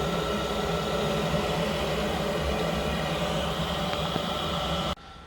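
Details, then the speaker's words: Boiler locked to maximum firing rate during service safety checks and combustion ratio checks: steady, even burner roar with constant fan hum, no surging or popping; firing normally. "we just got the boiler locked on to maximum obviously we're just checking to make sure all the ratios and everything are fine"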